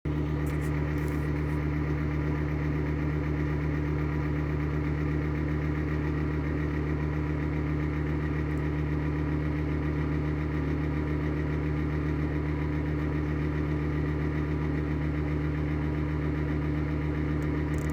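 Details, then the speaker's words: Exhaust fan running on worn bearings: steady low, rough rumble with a throb about twice a second. It sounds awful but still works. "sounds awful, but at least it still works."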